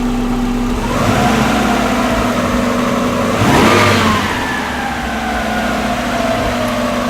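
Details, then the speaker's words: Subaru EJ20 flat-four swapped into a VW Vanagon transporter: blipped at idle, revs hang and sink slowly back over several seconds, better than stalling; true idle about 800 rpm per gauge (sounds lower), not rough. "It does kind of hang up, which is better than it stalling. Yeah, look at how long it takes to get back down to idle."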